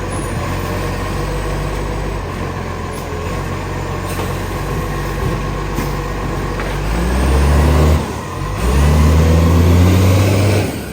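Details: Refuse truck no. 91 with an exhaust leak, driven fast on its collection run: deep diesel rumble with a raspy, puffing edge that swells as the truck revs.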